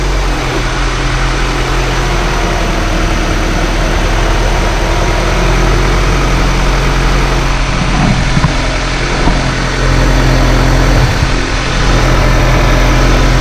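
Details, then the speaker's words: Honda CR-V at idle after replacing power steering pressure line O-ring(s) and topping up fluid: smooth low rumble, no pump whine or groan; noise gone. "and the noise is gone"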